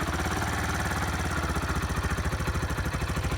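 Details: 2005 Kawasaki Eliminator 125 after replacing the petcock fuel valve, just started on choke: quick, slightly uneven thumping idle about three beats a second with no misses or knocks; running normally, no leaks.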